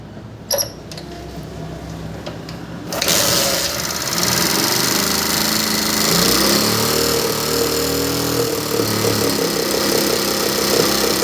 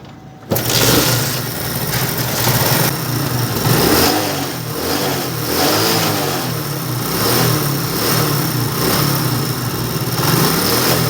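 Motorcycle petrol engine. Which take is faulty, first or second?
first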